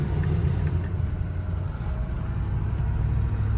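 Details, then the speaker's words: 2006 Ford F350 Lariat dually, stock 6.0 Powerstroke diesel, 50,000 miles, driving with AC turned down: deep, steady diesel rumble under way, no knocks or odd noises; cold starts perfect, no codes or check-engine light; runs great. "Runs great. Cold starts perfect. No codes, no check engine lights, no nothing like that."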